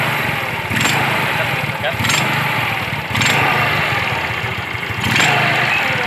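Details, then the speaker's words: Yamaha Mio scooter: quiet at idle, but on throttle blips a metallic jingling clatter rises from the CVT belt drive. "Oke, ini kalau diem tidak masalah guys. Lalu pada saat kita gas begini, dia akan bunyi."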